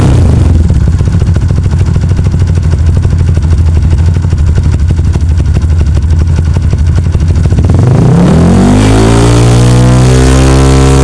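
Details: Kawasaki KLX single at raised speed during a charging check, battery 13.1 V key off, no current leak found: steady even run, then a clean smooth rise in pitch as the throttle opens; engine and regulator charging judged fine.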